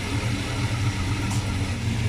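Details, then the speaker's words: Rebuilt original V8 with reused factory 4-barrel camshaft, timing 15 degrees initial: deep, even idle at 650 rpm, steady low thrum with no misses or knocks, still runs strong when put in gear; smooth and healthy. "Now I want to swap this camshaft in the worst way, but it's amazing how smooth this V8 runs. It's not something I'm accustomed to."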